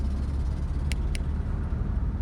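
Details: 1986 Mazda B2000 SE-5 pickup driving: a heavy, rough, blatting low rumble from a horrendous exhaust leak; the driver's fingers were numb after a 10-minute test drive.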